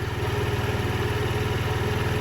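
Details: 2007 Diamo Retro 50 GY6 scooter after new intake tube install: small single thumps at idle with a slightly uneven pulse, not settling smoothly; owner suspects valve adjustment or intake air, unconfirmed.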